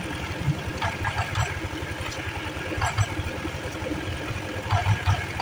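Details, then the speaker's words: Automatic scooter CVT after water entry rusted the roller housing and rear pulley bearing: steady, even idle with no squeak or chirp from the belt drive; squeal gone, repair done. "Nyalakan suara berdecit sudah hilang Alhamdulillah itu ada sih selesai"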